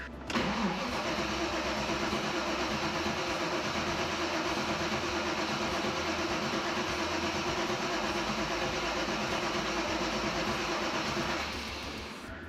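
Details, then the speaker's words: V8-swapped Mazda MX-5 (Bullet Roadster), first start attempt in over a year: long, even starter cranking for about eleven seconds that never catches. The ECU was connected but not grounded, so the fuel pump was not running: crank-no-start. "Okay. Now, I don't know why it's not working."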